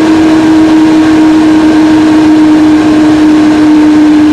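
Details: Mac Pro recorded with the camera inside the case: loud steady airplane-like roar with a constant hum as the fans spin up to full speed; cause unknown.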